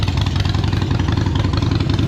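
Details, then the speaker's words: Used Harley-Davidson Iron 883 V-twin, after a fresh charged battery, idling: steady, even potato-potato lope with a deep low thump and no knocks or ticks; healthy idle, electrics all working. "So running, left signal, right signal, works, left signal, works, high beam, low beam, good, brake lights, electronics all good, seems to be running all right, sounds good."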